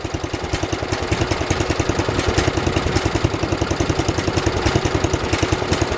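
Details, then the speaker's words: 1973 112 tractor, Kohler K301 single-cylinder, after head gasket replacement and valve adjustment (8 and 17): even thump about three and a half beats a second, no misses or knocks; purrs, normal idle. "Purrs like a Kohler, I mean kitten."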